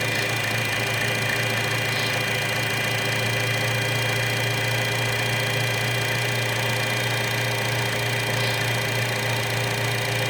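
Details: 2012 Chevy Cruze 1.4L with a vacuum leak at the valve cover, idling with the leak plugged by thumb: steady, even, smooth low-hum idle with no hunting or hiss; fuel trims return to normal.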